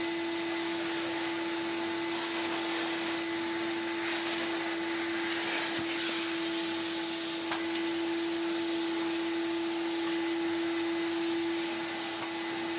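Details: Refurbished commercial Numatic BX190 (BX.BX) vacuum cleaner with original single-pedal floor head: steady high-pitched motor whine with even airflow hiss, no rattles or speed wobble; running smoothly after restoration.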